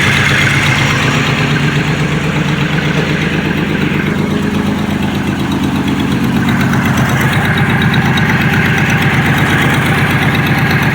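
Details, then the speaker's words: 2006 Pontiac Grand Prix after a new catalytic converter was fitted: a steady petrol idle with a fast, rough puffing chuff over the exhaust note, still spitting exhaust; an exhaust leak. "Definitely still sounds like there's an exhaust lead. It's actually spitting out exhaust now though."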